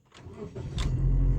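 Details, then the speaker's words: Starter clicks about three times before the engine catches and runs. Car sometimes clicks 3-4 times or won't start; after the fix, with a delay relay added, it usually starts on one click. "บางครั้งเราเข้ามาจะสตาร์ทเครื่องนะครับมันก็แป๊กแป๊กแป๊ก3แป๊ก4แป๊กถึงจะติดอันนี้แป๊กเดียวติดก็ถือว่าโอเค"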